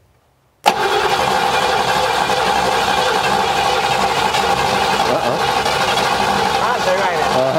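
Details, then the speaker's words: 1957 Chevy Bel Air that had sat since 1985: fast, steady cranking with faint uneven pops as it begins to catch but won't run. Spark is reaching the plugs, which are suspected fouled or rusted; the engine is probably dry. "get a little more i heard just a little picking up yeah"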